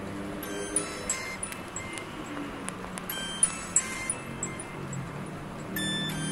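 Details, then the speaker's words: Redmi Note 2 phone with weak, nearly inaudible speaker, after replacing it with a used Oppo loudspeaker jumpered in: bright chiming ringtone plays clearly and louder, without rasp, buzz or crackle; normal loudspeaker output. "Nanti saya akan perlihatkan kalau untuk speaker yang ini yang bekasan dari Oppo itu bunyinya lebih keras dari yang tadi saya bawaannya ya."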